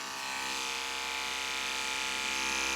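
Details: Andis Pulse dog clipper with a No. 5 blade, after cleaning and sharpening on stones; before sharpening the clipper died with this blade. Now a steady, even high-pitched buzz that holds speed without bogging: running normally.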